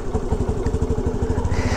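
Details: Honda Navi with 800 miles, just fitted with a new NCY clutch kit and a Malossi variator to cure shudder on initial acceleration: quick, even low putter with no knocks or rattles. Clean normal idle after repair.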